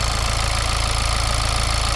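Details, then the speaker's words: Cold diesel idle with piezo-electric injectors: an even, fast sewing-machine ticking from the injectors and the high-pressure pump behind the engine, with no squeaking, banging or metallic clatter; this is normal and does not indicate faulty injectors. "the sound you will hear is like the ticking of a sewing machine, the fast ticking of a sewing machine is the sound of piezo electric injectors."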